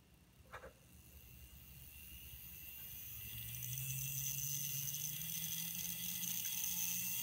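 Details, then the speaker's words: InterMountain SD45-2 N scale locomotive mechanism tested on its own, spinning up to a soft steady high whir at around 12 volts with no grinding or rattle: quiet and healthy. "yeah that's pretty quiet that's up around 12 volts now"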